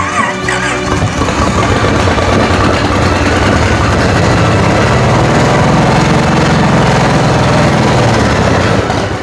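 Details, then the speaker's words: Restored 1946 Plymouth P15 original engine, previously rusty with one cylinder not firing, rebuilt: cranks, fires and settles into a smooth even run with no misfire beat; normal running. "But after some serious grinding and countless late nights, I got this old engine roaring again."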